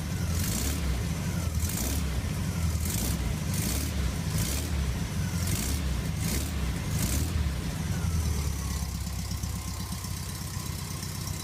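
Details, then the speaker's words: Rare Australian 1963 VW single-cab muffin-top ute, restored air-cooled flat-four with electronic-style distributor and leaky adjustable pushrod tubes: steady, even low chug at fast idle, no knocks or misfires; normal running. "yeah so she runs pretty good"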